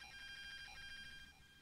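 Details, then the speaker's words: Via £5 Bluetooth speaker continuously makes a horrible thin, warbling "computery" electronic noise with high whistles even with no music playing, louder at higher volumes; others online report the same interference problem. "so I guess in there's only a fiver you should avoid this speaker this it just makes this horrible computery noise all at the time so I can't recommend this product battle"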